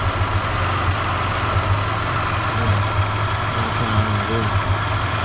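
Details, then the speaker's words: Third-generation Toyota 4Runner V6 idles with a low rumble broken by uneven thumps, an intermittent misfire that remains after new spark plugs and replacement of the three ignition coils on one side; the cause is still unknown. "you can hear the misfires though that's happening now"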